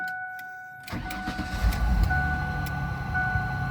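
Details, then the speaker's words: Old Ford van engine started on a dead battery revived with a DC stick welder (about 70 amps, now 12.7 V): quick crank, catches cleanly, settles into a steady even idle with faint hum; normal start and idle. "wow that's crazy that sounds very good"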